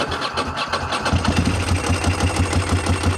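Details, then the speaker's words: 748 motorcycle on a new $30 Amazon battery, first start after oil and filter change with oil overfilled and little gas in the tank: starter whirr, engine catches and settles into an even, quick idle; normal start. "Well, apparently it was enough to start it."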